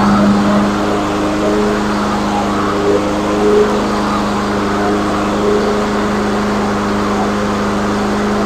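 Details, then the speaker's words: Troy-Bilt TB360 self-priming mower, trash-picked, repaired cheaply, fresh gas and oil: engine holds a constant, even hum at fixed speed with no stumbling or hunting; running properly after repair. "all right guys there you have it I fixed it really really economically and by the way I obviously put gas in it and I did put oil in it in case you're wondering so it's not going to burn itself up it is running properly"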